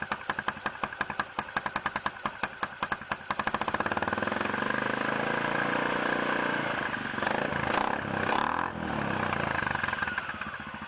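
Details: 2006 Can-Am/Bombardier DS250 ATV, first start in 10 years after a new battery and fresh gas with varnish cleaner, air filter out. Quick firing pulses settle into an even putter with a couple of small revs. Normal start and idle.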